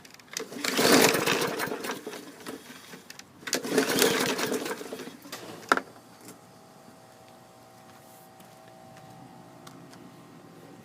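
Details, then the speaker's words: 2016 Bolens push mower that sat outside, after spark plug changed (it had spark, maybe weak): two rough pull-start bursts with no firing, cranks but won't start; felt like compression, owner suspects push rod issue or rusty coil contacts. "in the water on the 2016 bowlins so i'm going to have to look at this thing it felt like it had compression could be a push rod issue i don't know"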